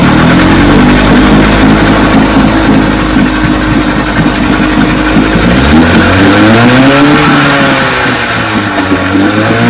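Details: Vintage outboard: buzzes evenly and rises and falls cleanly with the throttle, no misfires or knocks; running healthy.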